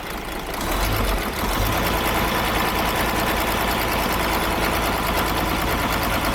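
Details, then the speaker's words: Model year 2017 DAF XF MX-13 diesel revved: a busy, uneven valvetrain clatter over the engine note from a broken exhaust brake rocker still pushing on the valve; no ECU faults, only an immobilizer issue, and the part needs replacing. "What we've got is this is now currently sat like this, still pushing on the valve, which is why we've got no faults in the ECU. But mechanically, you can hear the fault."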